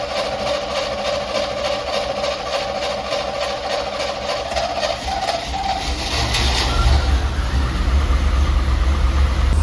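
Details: Bucket truck on a tested battery (12.58 V, 646 CCA, 93% health), earlier a clicking no-start: cranking catches into a steady deep rumble that settles. Normal start and idle.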